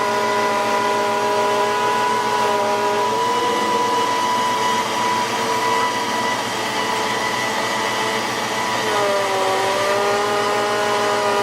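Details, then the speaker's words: 1993 Ford Mustang GT foxbody with a Coyote swap, bleeding the hydroboost after a fluid change: steady high whine over the idle that shifts pitch as the steering is turned, from aerated fluid; the brake pedal still sinks. "yeah back I can hear the whining and here's what happens when I turn it I wrench it then back there it [Music] is there it's bottomed out"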